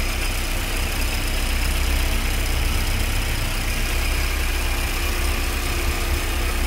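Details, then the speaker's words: VW AP 2.0 8v engine, warm, after new INA tensioner and Gates timing belt: thin high squeal at idle from the tensioner/pulley area, absent when cold, stops when water applied; timing belt noise, cause unconfirmed. "vem aqui da parte superior do tensionador ou da polia e agora quando eu colocar um pouco de água o barulho vai parar voltou com mais água parou"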